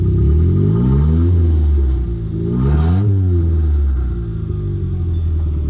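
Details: Turbo Mitsubishi after retiming a jumped timing belt, new plugs, distributor and ECU, downpipe only: loud open-pipe engine revving and settling smoothly, even firing with no slap or ticking; timing right, runs healthy.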